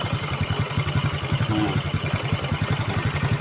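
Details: Honda Kirana after fixing loss of ignition, with starter dynamo found damaged: small single-cylinder idling with a steady, even putter of about three beats a second, holding without faltering; normal idle.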